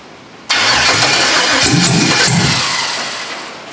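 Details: Foxbody with LS V8 swap on standalone wiring harness, first ever start, rain on metal roof audible: sudden catch and fire-up roaring unevenly then sagging away within seconds; rough untuned first start, transmission fluid leaking from missing yoke.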